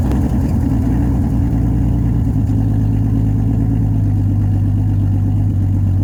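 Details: 1989 Jeep Cherokee XJ, 4.6L stroker I6, at idle and light revs before the muffler swap: loud, deep, raspy exhaust drone from a muffler blown out along its bottom.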